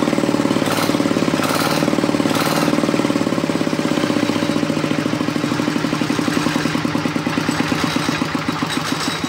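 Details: Diesel RD 85 S-series single-cylinder, crankshaft bearings (metal) replaced after oil starvation damage, first run after repair: even steady thump with no knocking, runs cleanly.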